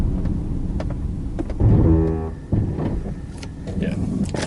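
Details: 2003 Subaru Forester XS: just before a complete stop, a buzzing, ratcheting brake rattle of about a second, felt in the pedal; not present when merely slowing; owner suspects the ABS acting up.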